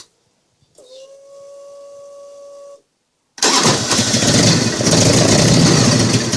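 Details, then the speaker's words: Harley-Davidson Evo V-twin after cam oil seal replacement: short starter whine, then it catches and settles into a loud, steady, even idle; runs fine, next step is checking for leaks. "Okay, works fine. Take it for a run and check it for leaks."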